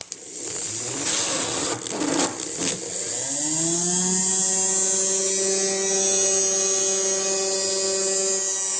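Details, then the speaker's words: 3D-printed-housing 365 DC motor with a rotor fan, run at 7.4V from two cells in series after a bearing failure was patched with hot glue: spins up to a steady high hum, pushing air out; normal high-speed running. "It's fast. Going really fast. You can feel a little air coming out."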